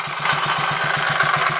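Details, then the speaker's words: Royal Enfield 500 Machismo electric start single-cylinder, bought in India, idling after timing gear backlash and primary chain adjustments; steady thump with busy metallic clatter apparently from primary side; abnormal engine noise at idle, source under investigation. "these reported noises in here or at least it seems like they're coming from in here and he's asking to have a look"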